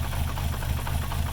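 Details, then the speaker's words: VR6 engine being diagnosed for starting problems, with the secondary air pump unplugged: a low, uneven, loping idle with no smooth rhythm. Rough idle, same as before; cause unknown. "well, I mean it's running. It was running like this before too. Yeah. Yeah. It like does it every 5 tries or something. So I feel like something's wrong."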